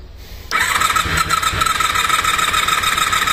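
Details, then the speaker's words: Non-starting Honda VFR400R NC30, ignition left on overnight, coolant low, some fuel spilled, cranked with spark plug caps removed: quick even starter whir with a light rhythmic chug and no firing. "Bueno, ahora lo que voy a hacer es sacar las pipas de bujía y le damos al arranque."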